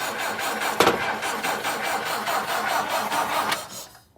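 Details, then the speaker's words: 1959 Ford Taunus 17M, first start attempt in the USA, coil has power, fuel leaking from carbs: starter steadily churns the engine over about four seconds without catching; cranking without starting, before it later runs. "tom crank it it's leaking out of the carbs just crank it let it get fuel come on tawny"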